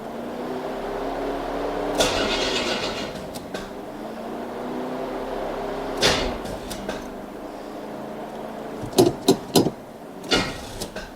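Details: Replacement vehicle being readied while a 2016 Toyota Tundra TRD Pro is in for repair: carbureted engine, fuel added to carb, battery clicking; short sluggish cranking bursts with pauses, never catches; weak battery suspected, jump battery fetched next, cause unconfirmed.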